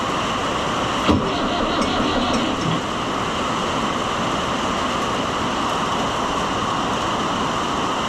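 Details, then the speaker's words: Fiat 640 based Oliver 1365 diesel tractor, battery at 12.3 V, with air in the fuel system after fuel filter work: steady starter whir for a long stretch, never fires; long cranking, no start. "Yeah, we're probably not going to make it again. I'm telling you, once you get air in these, they just do not It's a struggle."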